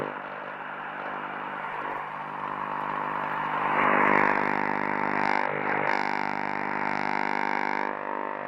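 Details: 1944 wartime civilian valve radio after full recap, rectifier valve suspected intermittent and replaced: a steady low-pitched buzz drones unchanged throughout; the set buzzes instead of receiving a station.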